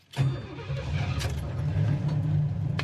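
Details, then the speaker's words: 1969 Pontiac Firebird 400 4bbl V8, rebuilt during restoration (previous owner says), with Turbo 400 automatic: catches almost at once and settles into a steady, even low rumble with no knocks or misses; starts great, gauges work. "Starts great, oil pressure, volt gauge, temp gauge all work."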